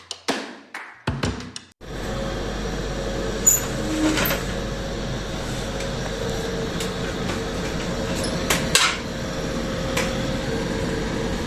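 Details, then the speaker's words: Indoor AC unit running with a steady rough drone and faint tone over the airflow: extra noise from the indoor unit's fan motor, likely a worn fan motor bearing; the motor must be removed to find the cause. "AC sound that you have just heard is the extra sound of the fan motor of the indoor unit"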